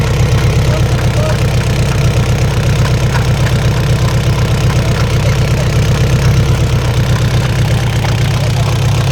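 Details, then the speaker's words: Isuzu 4BC2 diesel jeep at idle: sharp regular clacking about four times a second, knocking worse under slight load, first thought internal but traced to damaged injection pump internals; pump to be removed. "nakita na ah sa loob ng injection pump ang naririnig natin na lumalagutok at wala sa loob ng makina kaya tatanggalin na ang injection pump."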